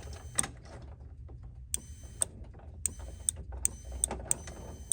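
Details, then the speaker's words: EZGO TXT EFI gas golf cart (electronic fuel pump, no choke) that won't start, key on: crisp dry clicks a few per second as the fuel pump relay energizes, showing relay, fuse holder and key switch fuse are good. "all right you can hear the fuel pump relay come on which tells me that my fuel pump relay is good"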